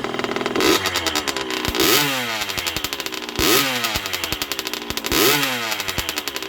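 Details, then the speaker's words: 1980 Yamaha YZ80G two-stroke, rebuilt with new piston, rings and small-end bearing, being run in, choke on, exhaust cleaned, muffler needing repacking: crisp crackle with revs blipped every 1.5 seconds and clean pickup. Normal, strong running. "Sounds pretty strong though."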